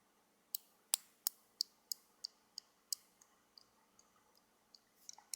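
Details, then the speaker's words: Budget safety razor head with the handle removed: light, irregular clicks about three a second as the base plate and cap slide back and forth on the pins. There is loose play in the head. "this one has play in it I'll listen okay can you hear that that's the base plate and a cap sliding back and forth"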